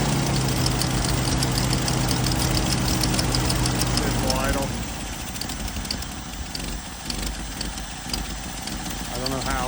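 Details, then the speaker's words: 1979 Jeep CJ5 sitting since 2019, first start with fuel filter just filling: unsteady lumpy wandering idle then dies away; fuel smells bad, owner suspects old fuel, carb needing cleaning and tank dropping. "that was better and easier than I thought it would be yeah it's running pretty crappy"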